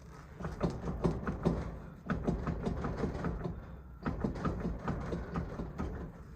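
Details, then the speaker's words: 2005 Chevy 2500HD Duramax LLY, ZF6, oversized mud tires, about 77,000 miles: thudding on throttle lift from front driver wheel; raised wheel worked gives bursts of dull clunks showing play; worn original wheel bearing/hub. "that's a wheel bearing going out now these typical wheel bearings on these GM trucks do go out around 75,000 miles"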